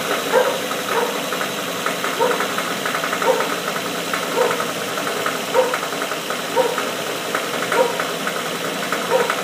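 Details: Nissan VQ35DE with 73k miles, started by remote start and revved via drive-by-wire: sharp, regular knock about once per second, steady, coming from cylinder #3.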